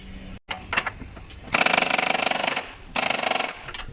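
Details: Kia steering column creak heard when turning the wheel right and left: short bursts of rapid dry ratcheting creak only while the wheel is swung side to side, attributed to worn column stops.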